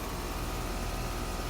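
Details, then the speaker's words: Three-ton "soft sound" AC outdoor condenser, camera right beside it: low even compressor and fan hum with no rattle, buzz or grinding; normal operation. "there's also a soft sound and it's a three-ton we're standing right beside it camera right down there on it so it's pretty quiet"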